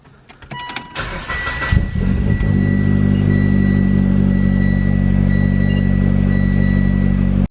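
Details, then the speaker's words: Turbo 2015 Mitsubishi Lancer GT, first start after swapping HKS for atmosphere-venting ARC blow-off valve: crank, catch, smooth steady idle, even hum, no misses; vacuum 8–10 versus 10 with HKS. "So just started up the car, So my vacuum is around 8 to 10. With the HKS blow valve, vacuum was at 10. Sounds pretty much like the HKS, to be honest."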